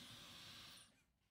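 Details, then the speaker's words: Dyson Supersonic HD01 hair dryer that had only flashed three white lights, tested partly disassembled with the motor and AC wire covered: steady airy rush with a thin high whistle fading as the fan spins down, blowing hot air. Running normally. "yeah I mean it's working and it's blowing hot air so the heating element works too"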